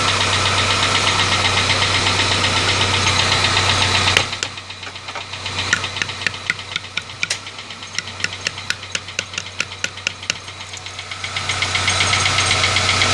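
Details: Engine at steady idle with a sharp regular tick-knock about four per second; started right after an oil change, mass air flow sensor replaced because it was acting up, noise remains; source unknown.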